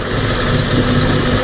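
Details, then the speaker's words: Mercury 50 two-stroke outboard (9M9XM00591C1) in a pond test after a new fuel filter and an airbox moved down to seal fully. It drones steady and even at idle with no stumble, hunting or misfire, a huge difference from before: normal idle. "I mean, that's idling, dude. Ever. It don't sound like it's cluttering or anything, dude."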